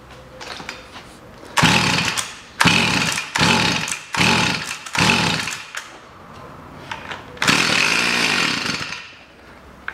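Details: Stihl FS 55 trimmer that wouldn't start, with a flooded plug; cause was too much oil in the fuel mix, so clean petrol was added: it fires and revs in repeated high buzzing bursts, picking up cleanly. Now starts and runs.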